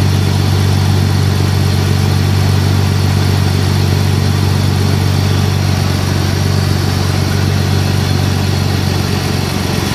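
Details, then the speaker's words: BMW E46 at cold start: steady idle with even whirring hum from the secondary air (smog) pump over the engine, no rattle or screech; normal secondary air pump operation. "first i'm gonna show you how the smog pump works well how how it sounds"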